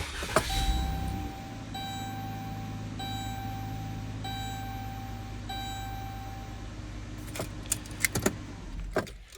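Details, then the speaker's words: Vehicle cranking test during a Topdon TB6000 Pro battery charger review, after charging, electronics off: strong even cranking that catches quickly into steady idle; cranking voltage dropped only to 10.83 V, normal for a good battery. "All right, so cranking voltage was only down to 10.83, which is normally what you would find in a good battery."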